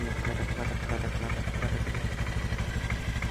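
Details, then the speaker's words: Honda Scoopy scooter after 5 years of use, idling with original exhaust: a steady idle with a buzzy rattle pulsing about three times a second from a vibrating body panel, not the engine. "Suara panel bukan suara mesinnya."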